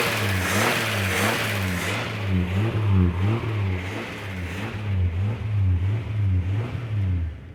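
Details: First start after head gasket, reconditioned head, water pump and hoses replaced: repeated throttle blips with clean exhaust note, no knocking or clatter; running fine, nothing sounds terrible.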